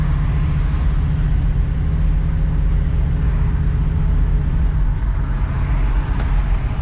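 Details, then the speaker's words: 1971 Chevy Nova with LS swap running after installing a new Tanks Inc. EFI tank and 450 lph in-tank fuel pump replacing a loud external pump; steady even engine rumble, no pump whine or buzz audible, no leaks, quiet healthy fuel system. "Didn't see any leaks. I don't think I can hear the fuel pump at all. It's much quieter in here."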